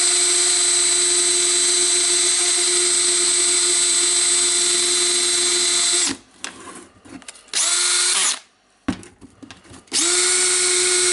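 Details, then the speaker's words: Makita DDF482 18V drill after full teardown, cleaning and new brushes; it had been smoking with a slipping gear: a high, even motor whine for six seconds, then clean stops and restarts without grinding or slipping. Normal, healthy running. "led this drill and we can turn it on okay it started to work that's a good time for us"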